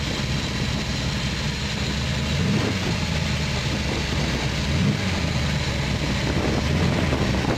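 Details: Ford 427W V8 with Fast Easy EFI, external high-pressure fuel pump and Tremec TKO 600, just started: deep steady burble with even rhythm, no knocks or ticks; normal idle.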